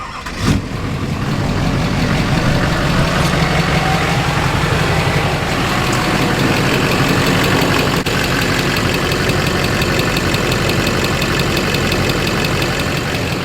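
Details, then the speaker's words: Warm Duramax diesel restarted and settling to idle with a fast, sharp tick-tick-tick, about three per second, louder than the common normal tick. The passenger side sounds healthy; the cause is not yet confirmed. "now I'm sure you guys can hear that prominent tick-tick-tick very common but that one's louder than it should"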